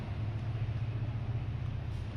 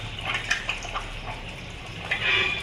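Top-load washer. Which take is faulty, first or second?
first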